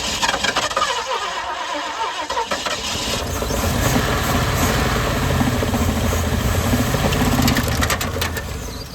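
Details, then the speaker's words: 1972 Ford F-100 with 302 small block, long left sitting in a pasture, start after cleanout: cranking catches into a rough uneven start with sharp slaps as the old drive belt flies apart, then steady running. "No, I think that was your belt. Or string. Yeah, that was your belt. Oh yeah, our belt decided to fly apart."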